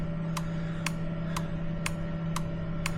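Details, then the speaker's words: Ford Transit minibus fuel pump relay in a relay tester, 4-pin setting: six crisp clicks about two per second over a steady hum; relay tests good. "We've selected 4-pin, and if we press the button, it's testing the relay. Hopefully you can hear that clicking away."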